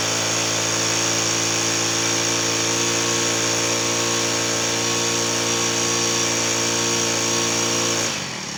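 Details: Cold Honda GX35 four-stroke grass trimmer engine, started without choke in two pulls, revved high at a steady, even pitch for about eight seconds, then drops off cleanly; runs smoothly.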